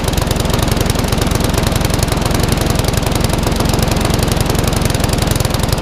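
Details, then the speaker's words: Classic Briggs & Stratton 3.5 hp mower (red one) just started after servicing, previously tipped on its side with fuel over the carburetor: steady slowish chugging with even beats, runs under speed; owner may change top governor spring. "That last red one just wants a little fine tweak. I may even change the top govern spring yet. It's not quite running as fast as I would like."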